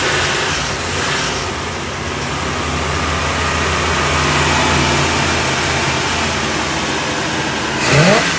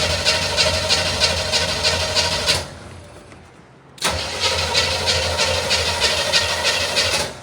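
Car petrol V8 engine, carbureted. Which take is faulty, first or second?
second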